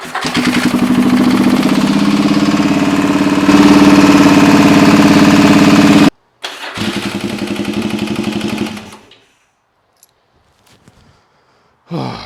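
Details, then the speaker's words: Yamaha XV1000 Virago 1000cc engine fitted with 750cc heads for high compression, first start on a jump battery: it fires with a hard, regular metallic clatter about three or four times a second, then shuts off. Valves are touching the pistons. "That's not good. That's making a sound. That is not good at all."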